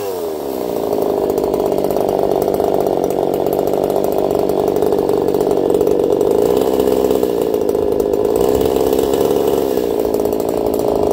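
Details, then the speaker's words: Echo CS4910 chainsaw with a taper-top piston/crank swap, about 180 psi compression cold and 170 warm, making test cuts and running a little warm: high, smooth two-stroke scream, pitch dipping slightly under load, no popping or stumbling; normal running under load. "I'll be curious to see what you guys think of that one. I don't even think it sounds like a chainsaw. It does run a little warm."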